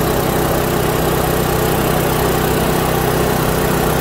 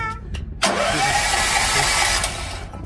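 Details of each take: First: Kohler generator set, four-stroke gasoline engine that would not start because the magneto gave no spark; replaced with a temporary non-original magneto, gap set with a card. Steady, even single-cylinder drone, then winds down smoothly at shutoff. Normal running. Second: Kohler generator with four-stroke gasoline engine, cold start with choke; cranks briskly about two seconds but never fires, no spark, traced to the magneto.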